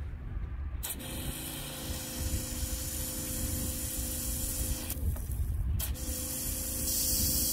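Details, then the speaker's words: Newly installed SeaFlo 55 Series washdown pump, 70 psi, 5 gpm, replacing a weak Rule 800 gph livewell pump: steady water hiss from the hose over even pump hum, no surging; good pressure. "All right, got everything hooked back up. Here's the wash down. Hear it humming."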